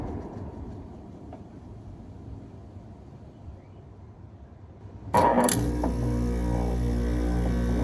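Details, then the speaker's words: Vintage 1993 Carrier Weathermaker 10,000 BTU 120 V window air conditioner, Tecumseh compressor, first run after sitting over 10 years in a crawlspace; steady low hum with faint uneven rubbing, fan motor suspected dry needing oil, not confirmed. "Running. Seems like the fan could use some oil. It's been sitting around for at least 10 years."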